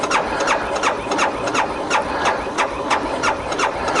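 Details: 2012 BMW G 650 GS Sertao at about 3050-3150 miles, 40.9°F outside, with ongoing starting issues (sixth time): even cranking at about three compression pulses a second with no firing. Cranks but won't start; decompressor lever suggested as the cause.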